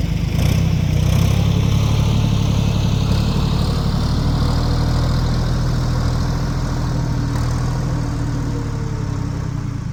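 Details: 1973 Ford 4500 industrial diesel backhoe, revived from scrap, digging stumps at end of the day: deep steady diesel drone at even speed, no knocks or misses; machine ran great all day.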